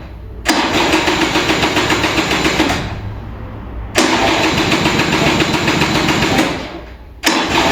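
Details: Vintage Kinetic Honda 2-stroke scooter, cold morning start: three long starter bursts of about two and a half seconds each with weak ignition and a draining battery, and the engine never fires; hard starting, cause unconfirmed.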